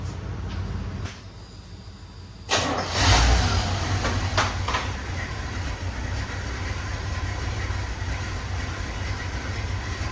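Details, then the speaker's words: 1984 Chevy K20 350 V8 sat 7 years, before spark plug and oil change: catches after cranking into shaky, uneven lumpy idle; owner thinks running on 6 or 7 cylinders; rough idle. "I'm going to fire it up real quick just in case y'all didn't hear it in the first episode so you can hear how rough it idles. Again, I think it's on like 6 or 7 cylinders."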